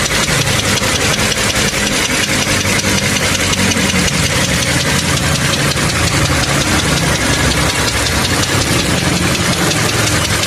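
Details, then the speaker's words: Toyota Camry 3.5 L V6 (2GR), about 100,000 km, warm idle recorded in the engine bay before overhaul: sharp, regular metallic clicking knock at roughly three per second; engine removed and disassembled to repair. "Động cơ phát ra tiếng gõ như thế này. Nghe tiếng lách cách lách cách lách cách này."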